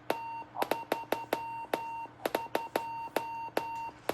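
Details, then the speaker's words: Norcal 40A QRP transceiver on 40 m sending CQ: short keyed tone bursts near 900 Hz with sharp clicks at key-down and key-up. Owner calls them key clicks but doubts they truly are; unresolved, next project. "so the middle is 32 with those nasty key clicks. That's the next project."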